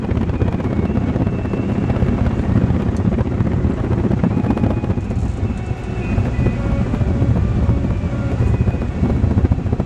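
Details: Vintage Diehl electric fan after fitting a new motor cable and new power cord: low even whoosh and hum, smooth steady rotation, no ticking or grinding; motor sounds healthy.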